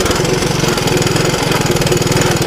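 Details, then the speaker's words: Honda ATC185 three-wheeler, about 35 years old, auto clutch, new right-angle air filter, test ride: steady even single-cylinder putter, clean regular firing, no knocks or rattles; runs through gears in decent shape. Normal running. "the way um it sounds and runs through the gears and all that she seems to be in pretty decent shape"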